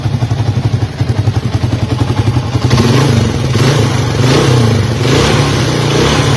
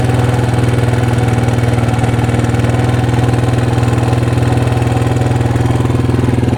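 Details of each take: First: 1982 Honda XL250R single, sold as noisy and finished, after service with fresh oil: even steady idle thump and clean crisp revs, no ticking or clatter; engine healthy, noise came from the repaired parts. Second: 1982 Honda XL250R single-cylinder, bought cheap after a shop called the engine shot; low compression. Steady idle with light even ticking from the top end; suspects valve clearance, cam chain tensioner, owner hopes not connecting rod.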